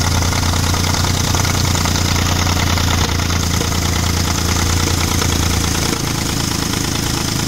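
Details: Audi 3.2 V6 at idle with ~20 codes incl. crank/cam correlation: irregular light knocking and rattle over steady idle; owner suspects timing chains, unconfirmed.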